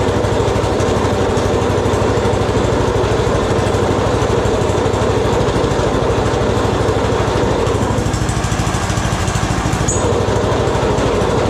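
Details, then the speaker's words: Snowblower single-cylinder engine, rebuilt after throwing a rod and with freshly tuned carb, started with full choke and three primer shots: even steady putter with no knocks or misses, runs well. "that thing runs pretty good. Pretty happy with that."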